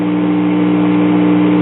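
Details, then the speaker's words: 1960s Montgomery Ward Vanity Fair kiddie tube record player after warmup; selenium rectifier burned out with a sloppy earlier repair, motor seized, cartridge suspected bad; loud steady low hum with no music, mains hum from a bad filter capacitor. "you can hear it has a bad filter capacitor"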